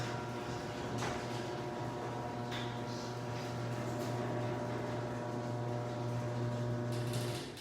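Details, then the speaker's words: Garage door opener with its rails greased and gears lubricated: a steady, even low hum and smooth chain run with no squeal or clatter. Normal, healthy operation. "this opener has already been lubricated the rails been greased let's see what this one sounds like that's what I'll change our should sound like"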